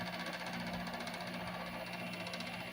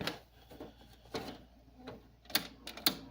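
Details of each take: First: Window air conditioner (a 7500 BTU unit) running with a constant low hum and a buzzy rattling vibration; cause unknown. Vibration noise. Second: 8000 BTU window air conditioner with a Sanyo compressor, started after a previous day's run: a few handling clicks, then a steady, even hum with no knocks or rattles; the compressor runs smoothly.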